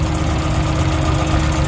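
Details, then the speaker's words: Drift car misfiring on cylinder two after getting hot at the track; plugs, injectors and coils swapped between cylinders one and two: rough lumpy idle with uneven skipping thump; misfire stays on cylinder two, idle drops when injector two plugged in; cause unconfirmed. "and it's still misfiring on cylinder too now listen to this why does the idle go down when you plug in the injector"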